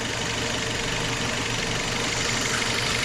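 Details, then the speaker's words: Citroën C4 engine after covering the faulty cover opening with a plastic bag: steady even idle, whistle gone completely, soft hiss only; running normally, confirming the cover as cause. "não existe mais barulho nenhum é muito trabalhando perfeitamente"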